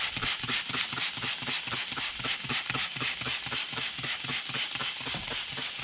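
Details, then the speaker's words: 1992 Dodge W250 12-valve Cummins with H1C turbo, stock about 30 years, boost leak test at about 30 psi: sharp steady air hiss with faint pulse as the stock intercooler leaks through many core passages. "the reason i did this was because i could actually hear a pretty significant leak coming from back here"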